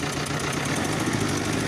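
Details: Toyota diesel forklift engine idling with a steady hard rapping knock on each firing, well above normal clatter; hard starting, worn internals, engine due for overhaul.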